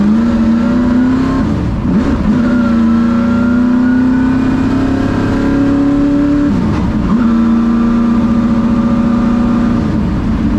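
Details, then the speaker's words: Hooters Thunderbird NASCAR stock car V8 first fired up after refitting the starter and tightening the headers: deep, even roar rising and falling smoothly with the throttle, no knocks or rattles; healthy engine. "all right she's out of the shop I've got some fuel in it let's fire it up and get on the road I'm excited to do this pray for good luck and we'll see what happens"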